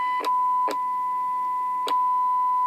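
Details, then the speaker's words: Kraco KCB-4030 Super Deluxe AM-only CB radio: 1 kHz test tone at 1 millivolt (1000 microvolts, -47 dBm) stays loud when switching from channel 20 to 21 and 19, severe adjacent-channel bleed-over; ceramic filter suspected worn. "Yeah, that's only 1000 microvolts. That's absolutely horrible. Yeah, I do believe the ceramic filter in this thing has definitely seen better days."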